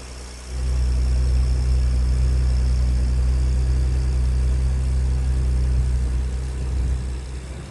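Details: Ford Ranger truck (turbo) after installing equal-length downpipes, V-band flanges and high-flow cats: catches after half a second, settles into deep, steady, even idle rumble; sounds healthy.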